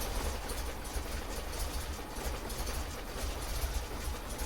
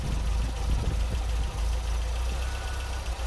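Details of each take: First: MGB GT idling after the distributor was turned to adjust ignition timing, before the idle was adjusted. Slow, lumpy idle with loose, uneven chuffs and revs sagging near stalling; idle speed is clearly too low. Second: MGB GT idle after retuning: timing set at 10 degrees, advancing to about 32-34 at 3000 rpm; mixture check on each side gives a slight rev rise that settles back; mixture judged about right after earlier splutter.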